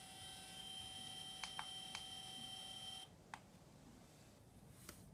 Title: Zenmuse H3-3D gimbal abnormal sound. How to fix this problem ??